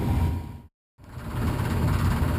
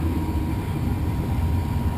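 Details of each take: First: Furnace blower before cleaning a dirty squirrel cage: deep steady rumble with a loose uneven rattle from imbalance in the dirty squirrel cage. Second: Furnace blower after cleaning a dirty squirrel cage: steady low whoosh and hum running smoothly, former imbalance rattle gone.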